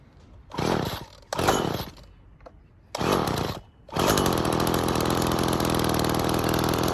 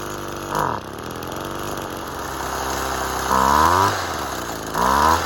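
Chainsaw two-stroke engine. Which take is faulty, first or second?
second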